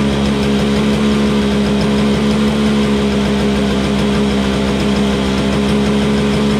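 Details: Toro Snow Commander two-stroke snowblower, running after refuelling with 50:1 TruFuel; smooth, even buzz with steady pitch and no misses or knocks; it just needed gas.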